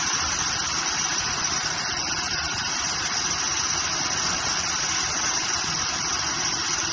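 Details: Cheap Chevy squarebody truck engine on a temporary fuel feed after it would not draw its own fuel supply: steady, even running under heavy hiss, no misses or stumbles, catching and holding idle; fuel pump confirmed working.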